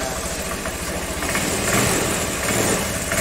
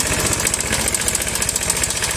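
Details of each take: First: Honda Vario 110, carburettor model, after the cam chain tensioner was tightened clockwise with a blunt-tip impact driver. Steady, even idle with no ticking or rattle. Normal idle, the metallic noise is gone. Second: Honda Vario 110, carburettor model, idling. Fast, even metallic clatter of roughly a dozen ticks a second. Worn cam chain tensioner letting the chain slap.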